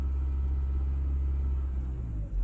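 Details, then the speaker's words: 2008 Honda Accord after an ignition coil swap for sputtering and loss of power: a deep, even rumble picks up cleanly on a light throttle blip with no stutter, and the scanner shows no misfires; healthy rev. "smooth all right still no misfires"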